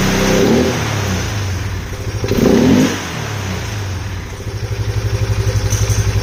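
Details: Polaris Sportsman 570 single-cylinder first run after rebuild, oil poured out, smoking a little; loud hollow intake sucking roar swelling on throttle, owner unsure if normal, likely because the airbox lid is off.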